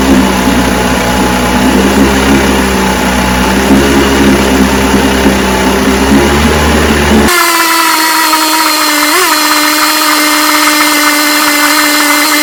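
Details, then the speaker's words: Johnson 10 HP QD-23 vintage outboard after a carburetor rebuild, needles starting at high speed 3/4 out and low speed 1-1/2 out, being tuned: busy two-stroke buzz that settles into a higher, steadier tone as the mixture is set; runs cleanly and healthy. "man I'm telling you it's adjusted good watch it start so that's the car is rebuilt runs good"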